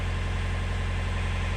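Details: Widebeam canal narrowboat diesel engine with a low, steady chug and even beat, no misses or knocks, idling cleanly after a non-start was traced to a 25 amp blade fuse, thought to be for the starter relay.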